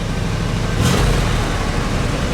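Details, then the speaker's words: 1965 Buick Wildcat Deluxe Convertible, 401 CI V8 with 4-speed manual, looking showroom new, running at a car show: deep, smooth V8 burble with a quick clean throttle blip dropping straight back to even idle, quiet and powerful; normal revving. "One more. Ooh. Quiet and powerful."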